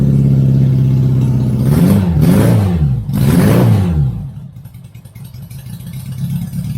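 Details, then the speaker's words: Barn-find 1983 Honda Goldwing GL1100 first start, old gas topped with fresh gas, new fuel filter, cold before warm-up: two quick throttle blips rise and fall cleanly, then revs drop back to low idle; engine runs. "hey guys Shop dogs excited Bentley we excited we got her going yeah hahaha all right so I think that's it for now I'm gonna let her warm up"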